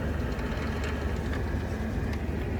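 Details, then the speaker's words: Jeep TJ NV3550 manual transmission run with clutch barely released to rotate, loud steady rattly rumble like a can of marbles, louder in the higher gears (3rd–5th); noise stops with clutch in, owner suspects the input shaft bearing. "Oh, you could really hear it. Eh, [ __ ] can of marbles. Oh, the high gears are a lot louder."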